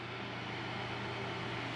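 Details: Both GTX 970 graphics card fans freed from a stall, spinning slower as temperature falls from over 90°C to 53–54°C: quiet steady whir with even low hum, no ticking or scraping; normal.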